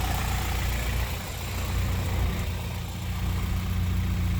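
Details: Honda F20B wagon, said to idle rough only when cold and to smooth out with a little throttle, valve lash issues being addressed: a deep, even idle rumble that swells slightly and settles, with no stumble or miss. Normal idle.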